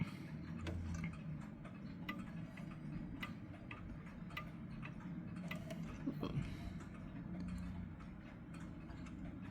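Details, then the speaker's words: Clock now in beat after a very small final crutch adjustment: quiet, even tick-tock at roughly three beats a second. "And there we go. Now it's in beat."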